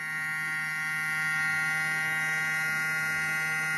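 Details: Cooler motor converted into a 12 V-to-220 V generator, lighting an LED; its speed slows slightly when the load is connected. A steady hum with an even high whine, no knocking or dropouts: normal running.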